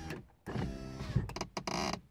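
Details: VAZ 2115 power window: choppy rasping and clunky bursts as glass drives up and stops near top of travel; silicone and seal removal did not help, dense rubber pad in corner reduced noise; owner credits tightening screw under door handle.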